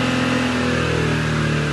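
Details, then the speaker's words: 2018 Jeep Grand Cherokee Laredo petrol engine after ECU reprogramming to fix a cylinder-1 misfire, coolant steady at 92: revs climb smoothly and evenly without misses, knocks or rattles; normal. "هسه اشوفكم حاله المحرك. حاليا المحرك صافي."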